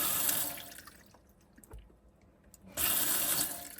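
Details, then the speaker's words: Adria Twin camper van faucet after repairing broken faucet wiring: water rushes steadily, stops briefly, returns strong; pump delivery even, no sputtering; intermittent operation fixed. "Voilà. Ça fonctionne très bien. Il n'y a plus de soucis de fonctionnement aléatoire."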